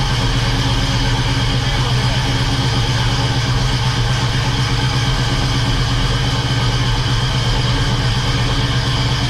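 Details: Freshly rebuilt 350 V8 in a 1969 Oldsmobile Cutlass held above 2,000 rpm for 20 minutes to break in the new cam; loud, steady, even roar without knocks or ticks; normal running at elevated rpm.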